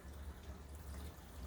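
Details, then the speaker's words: Shower drain leak test, about three minutes into the run: water runs contained in the shower pan, a soft, steady low rush draining below the floor with no drips or gurgles. Normal drain flow. "all right the water is running we are saturating that floor right now"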